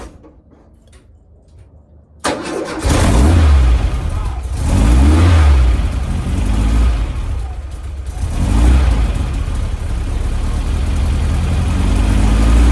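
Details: 1967 VW Splitscreen flat-four after service with tidied HT leads and fuel lines: catches at once, revs rise and fall cleanly, no popping; previous slight backfire gone.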